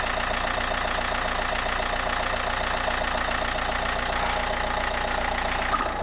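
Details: 1.9 JTDM/CDTI diesel first start after snapped timing belt rebuild with new rockers, water pump, pulleys, timing belt and glow plugs: steady idle clatter, even pulses near four per second, no misses or knocks; engine sounds healthy.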